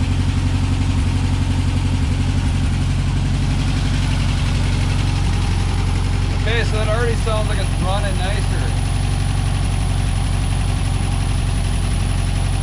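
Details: 1963 VW Beetle flat-four after spark plug change, fuel pump cleaning, fresh gas with Seafoam: steady, even low putter without misses or stumbles; smooth healthy idle.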